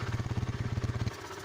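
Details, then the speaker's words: Used motorcycle idling at a pre-purchase check: steady even low pulses, judged fairly smooth; brief tensioner ticking faded after seconds; sound goes quieter and muffled when the exhaust is blocked to test it. "suara mesinnya disini menurut saya cukup halus"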